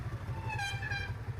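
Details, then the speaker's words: Single-disc motorcycle's rear drum brake gives a shrill, wavering squeal over the idling engine when lightly pressed, caused by brake dust built up in the drum; the suggested fix is holding the rear brake 2–3 minutes at about 2,500 rpm. "দেখতে পাচ্ছেন যে এই শব্দটা কতটা বাজে।"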